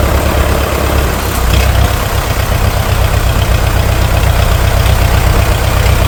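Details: International TD-6 crawler, revived after 11 years sitting rusted stuck, running on diesel after gas start, following the #4 cylinder misfire fix. Deep, regular thump about four times a second, no miss or knock: healthy idle.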